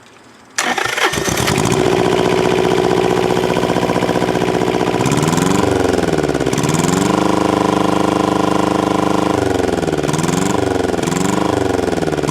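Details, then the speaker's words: Yanmar 570cc liquid-cooled inline-two diesel in a Thermo King TriPac APU, governor screw backed out, exhaust broken at muffler: fires, rattles loud, revs up and down cleanly with virtually no smoke; healthy. "you've got it like that as you saw there was virtually no smoke coming out of it even under you know hard acceleration going"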